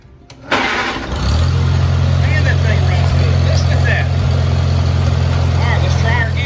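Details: 1949 Farmall Cub tractor, first run after restoration, out of gear: catches about a second in and settles into smooth, steady low idle with no misses or knocks; healthy small engine.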